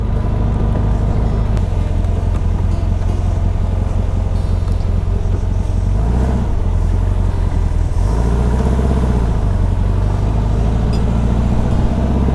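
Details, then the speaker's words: 1959 VW dune buggy, freshly rebuilt air-cooled flat-four with new 38mm carb kit, on test drive: strong, even low drone with steady exhaust beat and no misses or popping; runs great, accelerator cable previously dragging now better. "oh this is great it runs great now that will help him David"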